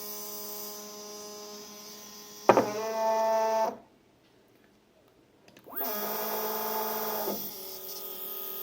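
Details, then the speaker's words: Two Z-axis stepper motors wired in parallel to one driver, at 4 A peak (2 A each) and feed rate 1000, after an earlier crash at too low a current. Two bursts of loud buzzing hum: one motor stalls, the other vibrates. Cause not found. "okay so one of them are stalled the other is vibrating"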